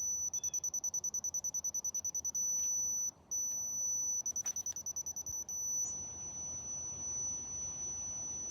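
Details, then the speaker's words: Dovoh laser level being set up with DR1 receiver: rapid high chirps about three a second, pausing and resuming, then stopping; the laser's out-of-level warning sounds until it settles level. "I'm trying to get it leveled keeps hollering at me got get this thing so it's I don't know what it wants it quit"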